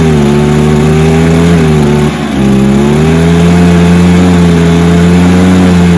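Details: Stihl BR430 blower that was bogging on rev-out, suspected carb issue, started outside with fuel, primer and choke: steady two-stroke drone dipping briefly and recovering cleanly, even revs, no bogging; running properly.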